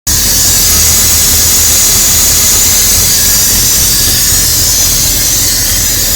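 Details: 1999 Dodge Ram 1500 5.9 V8, intermittent only at idle and not in gear: loud steady hiss from somewhere on top of the engine over an uneven, lumpy idle, smelling very rich; vacuum-leak-type hiss.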